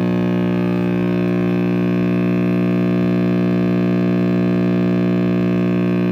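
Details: RCA Victor X551 vintage radio after recapping and power cord rewiring; constant deep buzzing hum with no program audible; owner suspects the last-soldered filter capacitor, unconfirmed.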